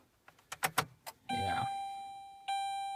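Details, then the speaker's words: 2007 Saturn Ion failed cold start after sitting for months: a few faint clicks, then steady dash chimes with no starter cranking. The battery is too weak to crank, probably undercharged, though loose wiring was later suspected. "Dead battery on the car. Probably didn't charge it enough. Yeah, we got a dead battery on the car. Enough to beep her, but not enough to crank it."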